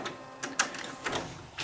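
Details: Old HP inkjet printer, after fitting cartridges: a few short whirring bursts of the carriage shuttling across in a quiet room, an ordinary initialisation; the yellow LED then stops blinking.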